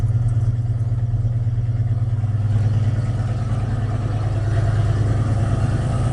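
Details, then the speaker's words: Ford cold start with new carburetor at about 65°F: uneven, loping idle about three pulses a second, at first sounding stuck; carb still needs adjusting, loose brass vacuum fitting found behind the choke. "okay it needs to be adjusted a little bit and uh sometimes like the first time we tried it it sounded like it was stuck in here"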